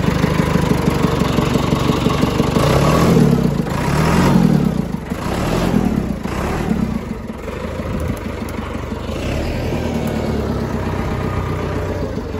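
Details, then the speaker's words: John Deere 555 bulldozer, 20+ years old, just started: diesel settles into steady, even idle after a couple of revs, no knocks or misses; running fine. "look at this guys this is awesome we got it started it's sick"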